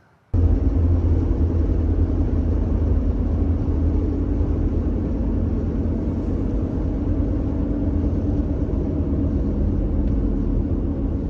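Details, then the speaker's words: High-mileage Subaru Outback with CVT on test drive; steady deep droning rumble from a bad left front (driver's) hub bearing assembly, needs replacement. "Now I do need to note that when test driving the car, I did hear this left front hub bearing assembly, or wheel bearing assembly, was bad."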